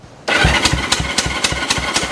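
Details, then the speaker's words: 1974 Honda CL450 twin, sitting since 1999 (25 years), spark plugs out for a thumb compression test on a jump box: even steady puff-and-whir about four pulses a second; compression sounds strong and healthy. "that sounds pretty good I don't know about you guys but that sounded like at least that much compression"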